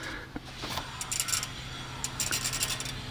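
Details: 2001 Toyota Tacoma SR5 PreRunner V6 2WD with aftermarket wheel upgrades: light metallic scraping that comes and goes in bursts as the wheel turns, from a loose brake anti-rattle spring rubbing the rim.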